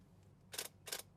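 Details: Nikon Z6 mirrorless camera: three crisp, bright shutter clicks about a third of a second apart, firing normally while switched on; the fault is a noise after power-off.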